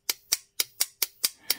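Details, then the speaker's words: WARN winch solenoid pack bench-tested on a power supply: seven crisp, sharp clicks about four a second as the armature pulls in cleanly, so this solenoid works. "Now, this one, this is the armature here, look. This one worked."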